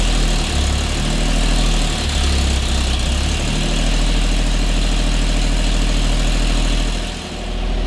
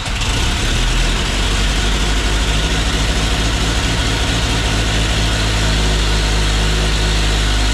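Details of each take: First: 1950 Chevy Styleline custom, old straight-six after sitting for 5+ years, running on gas poured in: a loud, lumpy idle with an uneven low throb and a dip near the end. A cut vacuum line plug may be contributing. Vacuum leak rough idle. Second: 1950 Chevy Styleline, custom with chopped top, sat over five years; after gas was added it fires almost instantly and settles into a strong, steady, deep even idle like an old John Deere.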